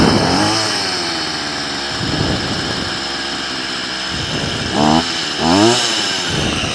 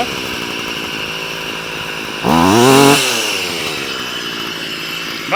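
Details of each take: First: Stihl FS38 two-stroke strimmer during carb tuning: buzzy idle sitting noticeably fast with rising blips, trimmer head still spinning; idle set too high, being turned down at the idle screw. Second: Stihl FS38 two-stroke strimmer after carb tuning (mixture richened, idle and slow screws reset after prior tampering): buzzy idle, quick clean blip rising and falling, back to steady idle; responsive, head near enough not spinning.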